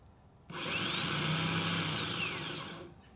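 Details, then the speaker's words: 2005 Mercedes SLK350 starter tested on bench with 12 V: whirs to high whine about two seconds and coasts down, no engagement clunk; pinion not rising into position, starter defective, owner believes the cause of no-start. "this isn't Rising it's not getting in the right position see it's defective that's been my problem all along"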